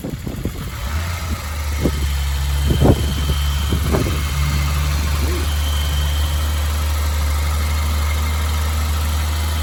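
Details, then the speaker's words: BMW E30 323i six, sat over a year, restarted in garden with no radiator and exhaust covered: a few sharp catches, then smooth low steady idle with no tapping or misfire; normal start and idle. "It's been a long time since I've had one of these engines running. The other one I ever got going, I just took it straight out. But very pleased that it runs."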